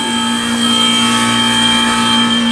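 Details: 1993 Comfort-Aire window heat pump, reciprocating compressor in cool mode, 81°F day: steady, even compressor hum with a constant high whine and no knocks or rattles; running normally.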